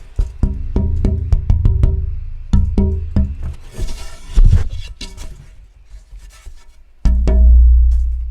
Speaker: if you can hear that rattle but that tells me that this piece was probably not so thoughtful